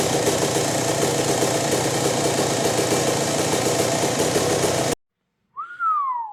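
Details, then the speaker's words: 2001 Yamaha YZ125 two-stroke after dropping the pilot jet from 25 to 20: crisp, even idle holds steady without stumbling or loading up. The low-end bog is gone and jetting is now right. "Had to jump that pilot jet down from a 25 down to a 20, and now it's idling perfect. No more low end bog, none of that."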